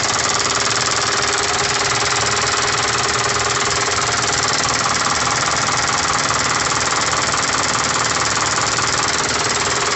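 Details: Isuzu 4KH1 diesel that had a no-start complaint, at idle: steady, even clatter at roughly three beats a second, no misses or hunting; the engine is running normally.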